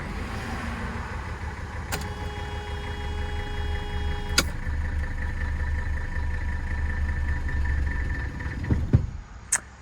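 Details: 1984 Mercedes-Benz 300D turbo diesel W123, key off; engine keeps chugging unevenly for several seconds, then shudders to a stop; prolonged run-on attributed to a minor vacuum leak, owner suspects an inside vacuum line, unconfirmed.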